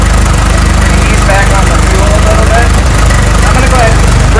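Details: 1912 Ford Model T Speedster, 177ci inline-4, warming up after cold start: steady, even low chuffing idle at three to four beats a second, no knocks or misses.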